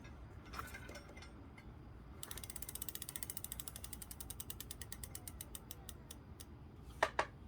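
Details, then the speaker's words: Lectric XP e-bike wheel after loosening and realigning the crooked brake caliper mounting bolts with a 5mm Allen key: quick freewheel clicking as the wheel coasts down, no rubbing or squeal; squeak gone, wheel spinning freely, no brake rub. "And the squeak went away. That's simple."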